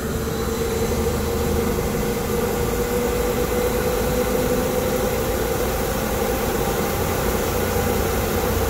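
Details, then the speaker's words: Baldor fan motor on an AAON unit running normally for comparison with noisy failing-bearing units: steady low hum and faint constant tone, no howl or grinding. "let's listen to one that sounds normal let's go to this one exact same unit it sounds rather choice"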